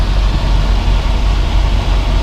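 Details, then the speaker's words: 1967 Mercury Cougar XR7 with factory air conditioning, 3-owner rust-free California car: steady deep idle rumble with no knocks or misses; the engine changes only slightly when the AC compressor kicks on, which is normal. "You can hit the AC's on now, and you probably didn't hear it, but the engine changed just a little bit when it kicked on."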